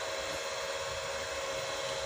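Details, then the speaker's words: Panasonic projector under repair, powered on: both cooling fans run with a steady airy rush and faint constant tone, no rubbing or rattle; fans normal, but the lamp gives no light. "ternyata kipasnya dua-duanya hidup"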